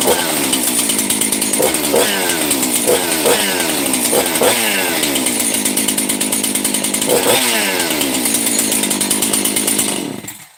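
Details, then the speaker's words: Chainsaw model 268 just reassembled, OEM 50 mm closed-port setup, choke on and idle set for start; crisp, even two-stroke howl picking up cleanly on each throttle blip, oil coming out; normal running. "and there's oil coming out so we're good that that sounds nice"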